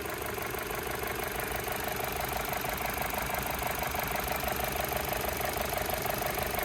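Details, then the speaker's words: 2014 Chevy Cruze LS with 70,000 miles, idling, heard in engine compartment: quiet even idle with faint regular injector tick, no knocking, vibration or odd noises; healthy smooth-running engine. "Alright, so as you guys can see, very nice and smooth running engine, nice and quiet, no odd noises or vibrations."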